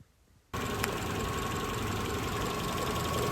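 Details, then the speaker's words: Renault Clio small four-cylinder after a new timing belt and tensioner were fitted: it catches and settles to an even idle with no squeal or slap. Everything runs properly. "fortunately for me everything still runs and sounds great so let's get on with the rest of the service"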